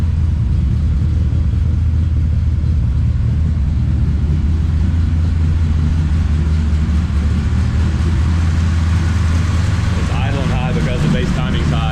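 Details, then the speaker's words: Mopar 318 Magnum truck with stock 1986 distributor, MSD6AL, Hughes cam and Edelbrock AirGap intake, idling: steady deep V8 rumble, fast and even with no stumble. High idle from base timing set a little high; otherwise sounds good. "so i do have the base timing set a little high right now but um sounds good"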